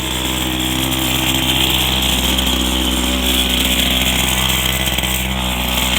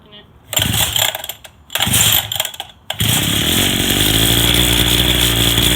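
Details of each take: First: Go-kart single-cylinder engine warming up after a new carburetor and intake manifold: a high, buzzy note holds steady with no popping or surging. The engine is running evenly; normal running. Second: Go-kart small engine that sat for a long time, on its first start after a carburetor replacement: sputtering catches and pops, then a loud buzzing run that wavers; it still needs more carb adjustments.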